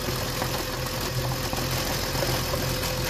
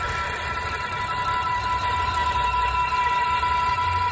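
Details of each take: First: BMW M54 petrol engine at idle with a new, working crankcase breather, dipstick tube opened: a soft slurping hiss from the tube and a slightly uneven idle. This is normal crankcase vacuum. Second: BMW petrol engine (M54/N52 breather video): a thin, steady high-pitched whine rides above an even engine hum and holds constant. The source of the engine whine is unclear.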